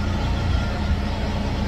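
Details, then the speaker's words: PowerSmart 2500 W generator aboard a sailboat powering an 18,000 BTU air conditioner with soft start; steady drone holds without hunting through the startup surge, probably near 20 amps, normal generator under load surge. "got the uh vent going on and there's the peak that's the surge I do have um soft starts on these AC's so it will lessen that blow on the start"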